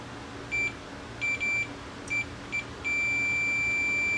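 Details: Pioneer VSX-522 receiver that went out with a bang; meter continuity test on a removed output transistor gives short high beeps, then one long unbroken tone, confirming the transistor is shorted.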